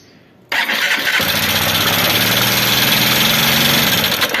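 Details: Honda Bros 150 motorcycle that began knocking after a clutch disc replacement, oil level correct: catches and settles to a fast idle with a dry, tinny clatter on top. Worn rocker arms rattling in the valve train.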